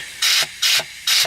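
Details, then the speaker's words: Air test of 4T65E transmission clutches before reinstallation, light air pressure applied: three short air hiss bursts, each ending in a soft low thud as the clutch applies and releases; healthy clutch engagement. "All right. Everything made a nice little thug noise in there. You can hear it engaging and letting it back out once you release the air pressure, so it's doing what it's supposed to."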